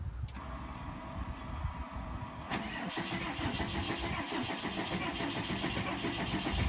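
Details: 1993 Fleetwood Bounder diesel pusher that sat two years, started after priming the fuel system with a new battery: uneven cranking that builds into a rough, rising diesel clatter as the engine fires. A normal start.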